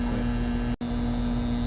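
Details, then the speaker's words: 2012 Carrier heat pump condenser: contactor pulled in and still buzzing, heavy inrush on start, then compressor and fan running evenly with a steady low hum, about 10 A draw against 16 RLA: normal running. "man that thing pulled o on inrush but it's running right now"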